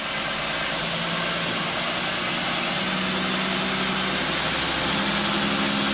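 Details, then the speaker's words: 2x72 belt grinder at about 4000 surface feet per minute: steady rushing grind with a faint regular tap about four times a second, the belt seam tick felt in the workpiece; higher speed reduces the tap. "you should be able to hear that you can still hear that tap episode and i'm feeling it in the piece the piece is wanting to jump"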